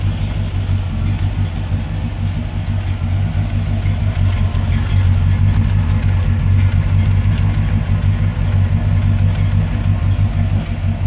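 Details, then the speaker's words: 1971 Cadillac Coupe de Ville V8 with Flowmaster knock-off mufflers and resonators, at a cold idle running a little rich: a deep, even burble with a steady low exhaust growl and no knocks or misses. "the doors open and it's cold right now so that's why she's running a little rich"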